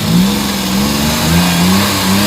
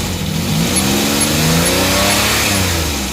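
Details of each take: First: Suzuki mini van DA64/DA63 K6A engine, warm, after idle-up valve work for vibration: picks up and settles smoothly through light rev with no shake; normal revving. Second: Suzuki mini van DA64/DA63 with K6A engine, vibration issue with codes P0113, P0327, P0135, P0122, P0118: revs surge up and sag unevenly instead of holding steady; the throttle position sensor voltage keeps dropping out instead of holding steady.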